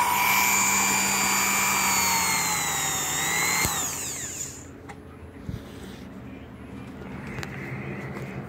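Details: Vintage electric massager from the 1970s–80s, after motor brush repair: high-pitched motor whine holds steady, then sags and winds down to a stop, followed by quiet handling; motor spins smoothly, normal.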